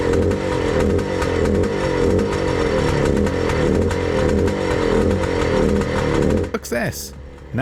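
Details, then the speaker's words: Bultaco Alpina 350 two-stroke after the condenser replacement, with new carb and tank: a busy, crackly beat at a steady fast idle with no misfire gaps. Rubbers are fitted on the fins; firing cleanly before the test ride. "okay folks hopefully you can hear me over this racket actually quite a bit quieter i put the rubbers on the um on the fins that should make it a little bit better"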